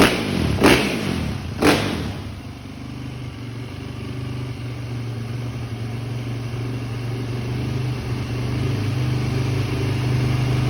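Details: 2010 Yamaha YZ450F single-cylinder, previously hard to start needing push starts, after valve clearance inspection, new cams, spark plug and fuel pump: a couple of sharp throttle blips, then steady even low idle without knocking or misfires; normal running.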